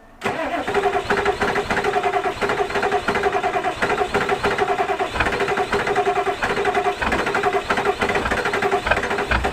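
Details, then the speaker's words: 1986 Ford F250 with turbo 7.3 diesel, cold winter morning on a snow trip: long rhythmic cranking, several pulses per second, without catching a clean steady idle; hard cold start. "she's ornery this morning."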